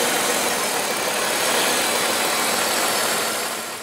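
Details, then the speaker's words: 1995 Oldsmobile 88 3.8L 3800 V6, warm idle after Dorman 615-180 upper intake manifold replacement for coolant leak: steady, even idle under a bright hiss, no ticks or knocks; normal idle. "other than that you can see Monte's aing again in no ticks no knocks good to"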